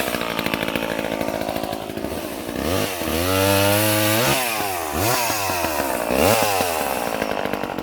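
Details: Late-1970s Craftsman 2.1 vintage mini chainsaw (rebranded Poulan 25DA) cutting wood: crisp two-stroke buzz revs cleanly, dips to a lower drone under each cut and snaps back; healthy saw pulling well.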